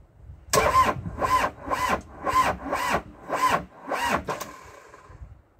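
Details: Old CAT excavator diesel that had not run in years, first crank after reassembly with an improvised induction system: slow, labored starter cranking at about two turns a second with uneven compressions, turning over without firing.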